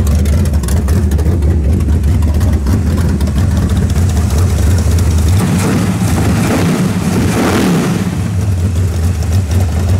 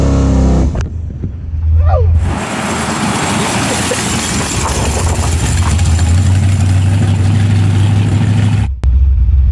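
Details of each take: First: Carbureted V8 on a mechanical fuel pump; rough, lumpy revs climb then sag and stumble as the float bowl empties, a lean spot from fuel starvation. Planned fix is an electric fuel pump. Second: Turbo Nova V8 after cam swap, with a 3.5 power valve fitted in the carb to cure a hesitation: pulls cleanly and evenly under throttle with no stumble; hesitation almost gone, a 2.5 power valve thought better.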